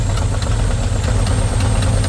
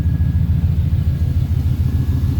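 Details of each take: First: 1977 Pontiac Formula Firebird barn find, parked since 2007, first run after fuel line hooked up to the carb: steady, even low rumble at idle, no knocks or misses, hardly smoking anymore, petering down a little; normal idle. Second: 1977 Pontiac Formula Firebird, parked since 2007, being jump-started: heavy, slow, labored cranking at about three beats a second, never catching; plugs will be pulled, cylinders lubricated and spark checked. Cause not confirmed.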